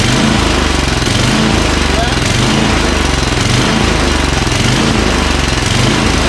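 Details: Craftsman 29" snowblower, 9HP Tecumseh engine just started on electric start: idle rises and falls about once a second instead of holding steady, hunting/surging at idle; suspected fuel delivery, fuel solenoid or dirty carburetor.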